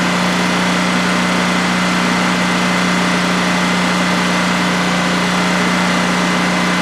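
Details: New DuroMax XP15000HX generator installed in a shed, second start-up on propane with the exhaust fan off: a steady, even hum at constant pitch with no surging or knocks during a 5-minute test run. Normal smooth idle, no issues.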